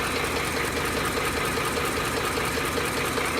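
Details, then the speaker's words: 2008 Ford F-150 5.4L 3V Triton at hot idle: steady light knocking about two and a half per second, mostly passenger side; locked cam phasers knocking, usually from blown timing chain tensioners and oil pressure loss. "now what that is is the phasers that are knocking when they're locked yeah hot idle the warned and usually because of the pensioners inside the tiny chain area that are blown out"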